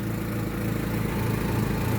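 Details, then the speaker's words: Daewoo Lanos 1.6 at idle: quick, even ticking in step with firing from an exhaust leak at a holed flex pipe, later welded; car had arrived with knock and misfire. "Ээ, в общем, машина работает и там, короче, сечёт по гофре. Там гофра пробита."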